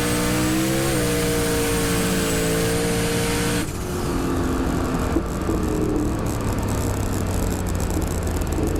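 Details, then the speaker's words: Turbocharged drag car at the track, in-car audio: engine winds up hard, then after the shift into high gear the note goes flat and dull and stops pulling; loss of power in high gear. "you'll hear the engine it clicks into high gear and the engine kind of flattens out if you will it doesn't pull through high gear"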